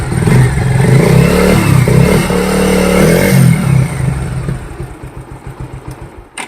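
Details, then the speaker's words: Bajaj motorcycle after timing chain noise repair: single revs up with a crisp, even exhaust beat, then settles and dies away with no top-end rattle; now smooth, unlike before. "देखिए इसकी आवाज़ देखो, जैसे smooth हो गई है। ये देखिए पहले की जैसे आवाज़ नहीं, बिल्कुल स्मूथ हो गई है।"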